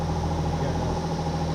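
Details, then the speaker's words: Infiniti G35 VQ35 V6 at idle after a compression test that read about 130 psi, the low end of spec: smooth, steady, even low hum with no knocks, misses or ticking. Engine sounds healthy; normal idle. "Easy enough, but other than that, engine sounds fantastic."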